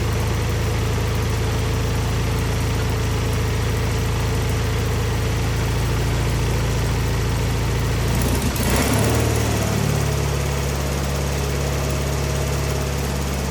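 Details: Wheel Horse 520H garden tractor with hydrostatic drive, pulled from a tree row and revived, running on its own gas tank during a successful test drive; steady low drone with a brief stumble and pitch shift midway, then smooth normal running.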